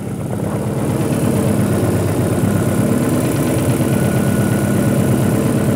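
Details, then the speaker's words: Engine after replacing the broken knock sensor behind the engine under the intake manifold: smooth, even idle with a steady low hum and no knocking or ticking; engine now quiet and healthy. "now it runs nice nice and held the sound"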